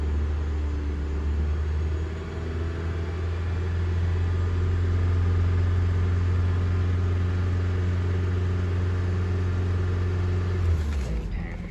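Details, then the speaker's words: Friend's car idling evenly during the scanner alternator test: a steady low hum with no knocks or squeal. Alternator and battery passed; only the starter is bad, as the car is expected not to crank again once shut off. "The alternator passed, the battery passed, and everything is looking good except that starter, guys."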